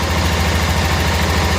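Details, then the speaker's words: 1988 Club Car golf cart, 8.5 hp Kawasaki engine, barn find; governor spring trashed, spark checker still fitted; steady low thrum with an even beat, no misfires or rattles, idling cleanly and running well. "wow runs good this thing has a lot of issues related to um the governor"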